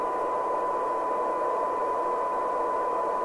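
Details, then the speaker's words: LCL Communicator NI440DX CB27/81 UK FM CB radio on the bench with a signal generator during receiver alignment; steady hiss swamps a faint test tone and it still sounds lousy; poor sensitivity from a misadjusted 10.695 injection coil from the synthesizer. "that's it just see how it still sounds lousy okay so meticulously gone through that several times because they can be interactive"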